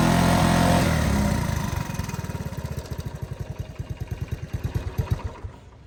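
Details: 1983 Honda ATC 185s single-cylinder ATV, aftermarket carburetor, after a carburetor screw was turned well out; it had kept running out of gas. A rev settles to a loose, slightly uneven idle near four beats a second, then fades as if starved; likely still lean.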